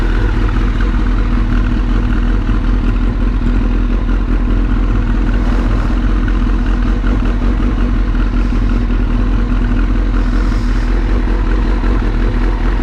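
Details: Suzuki GSX-R motorcycle idling: loud, steady, low idle with even beat, no misses or knocks; running fine.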